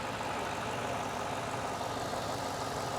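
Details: Ford Mustang Bullitt (year unknown) being diagnosed for a lit MIL: steady, even petrol idle in neutral with fuel rail pressure near 39–40 psi, right after a pulled vacuum line that caused a huge leak was refitted; no hiss or stumble.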